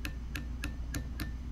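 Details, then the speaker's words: Truck starter clicks sharply and rapidly without cranking. Tapping the solenoid with pliers lets it start, the old hammer-tap trick. "not starting but when I tap the solenoid it does so this is the old trick where people say you know hey if your car is not starting get underneath it and tap on it with a hammer"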